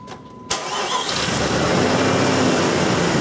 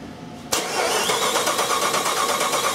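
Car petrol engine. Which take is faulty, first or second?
second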